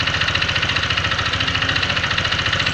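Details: Honda Vario 125 FI scooter with a harsh engine noise after a service: rough idle with a steady, fast, deep internal knocking. A worn, loose connecting rod is suspected; teardown is pending, not confirmed.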